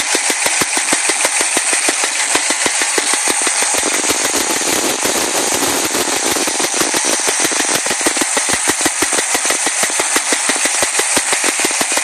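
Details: Chevy Nova V8 running after a drive around the block: sharp fast ticking knock about three per second; owner suspects a stuck lifter, not confirmed.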